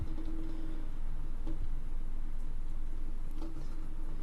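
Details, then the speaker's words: Vintage GE shaded-pole fan from the 70s on a TRIAC dimmer: low steady hum with a fast, fairly even light knock about four a second; motor shaft end float lets it hit the side, vibrating in and out. "now listen to that hitting against the side it's just like going in and out really quickly vibrations"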